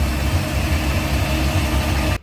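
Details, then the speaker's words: Volvo Penta 4.3 boat engine after reconnecting a spark plug wire that had come off one cylinder and caused knocking and ticking: deep, even burble with steady firing and no knock or tick; normal idle. "i don't hear that knocking noise at all anymore sounds smooth too"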